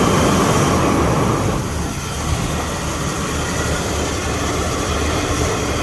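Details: Ford EB Falcon manual six-cylinder after cleaning throttle body and idle actuator and changing leads, white smoke from carb cleaner: low uneven loping rumble, three to four pulses a second; still running rough, possibly misfiring.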